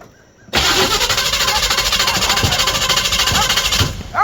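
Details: Chevy small or big block V8 that sat a long time, after a new mechanical fuel pump and filters, manual choke: starter spins it evenly at three-plus beats a second for about three seconds, never catches; carburetor bowls still filling, cause unconfirmed.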